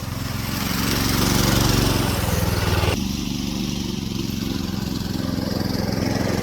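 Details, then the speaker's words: Go-kart small single-cylinder engine on fresh fuel, kart driven: runs and pulls steadily with even firing, no knocks or rattles, not throwing the chain; sounds healthy, though owner suspects fuel in the oil. "oh it works so that means let me turn this crap off all right so the it all works it's not throwing the chain it's not it doesn't sound bad"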